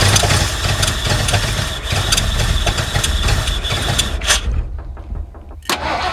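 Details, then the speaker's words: 1979 Ford F150 with modified 351 V8, long abandoned, running only after the carburetor is pumped up: catches and runs with ragged, irregular firing, fades and dies after about four seconds; owner suspects a clogged carburetor, possibly a weak fuel pump. "I think the fuel pump's fine. I think our issue lies in this carburetor."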